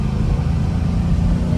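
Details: Same Marketplace vehicle on a test drive at full throttle: a deep, choppy roar with an uneven stumbling beat as the engine misses badly under load. Cause not confirmed.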